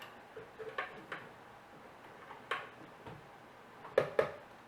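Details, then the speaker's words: Old rare hard drive (likely Apple/Quantum Mac drive) powered on: sparse sharp ticks, often in pairs, about every second as it tries to initialize the heads but fails to spin up and isn't recognized; spindle motor failure. "and it won't be recognized oh yeah that is you can hear it try to initialize the head so yeah that's a motor failure right there"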